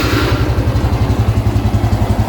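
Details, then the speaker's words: Honda Revo X 2017 FI motorcycle at idle: steady, even low putter with regular firing pulses and no ticking or knocking from head or cylinder; normal smooth engine. "Ini suaranya masih halus banget ya. Pastikan suaranya halus, nggak ada suara-suara aneh, entah di bagian head atau bagian boring."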